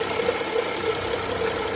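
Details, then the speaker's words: 2013 BMW 535xi F10 with the N55 3.0L turbo: a harsh continuous grinding rasp with a faint whine at idle. The belt tensioner pulley is worn and shaking, so the tensioner needs replacing. "another BMW PR L with the tensioner that's worn out have a nice day guys"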